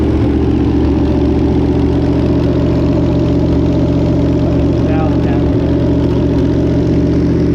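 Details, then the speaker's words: Barn-find 327, sitting since the 1990s, on an engine run stand with gauges and a partial radiator: loud, steady, even idle rumble with no misses or knocks; runs well, slight exhaust leak noted, owner suspects no thermostat. "this Old Barn 327 actually runs pretty good"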